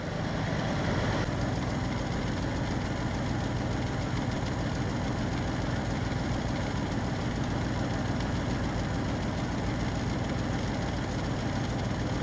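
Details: 1971 Wagoneer AMC 360 V8 idling right after a PerTronix electronic distributor conversion replaced the points: steady, even low beat with no misses or stumbles. Normal idle; owner may still adjust timing slightly.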